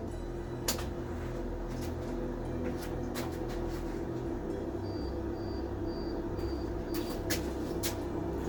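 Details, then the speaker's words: Mk1 Mazda MX5 on jump-start charger, first start after reassembly with exhaust manifold, long unstarted: starter churns in a low even rhythm but never fires, because the airflow meter was left unplugged. "Should have thought I haven't put the airflow meter back on. Try again."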